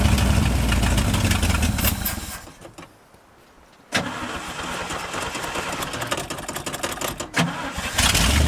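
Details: 1971 International 1890 plow truck abandoned since 2001, revived after carb rebuild and new fuel line. Petrol engine catches after a short quiet gap and settles into a fairly even idle, about four beats a second; normal idle.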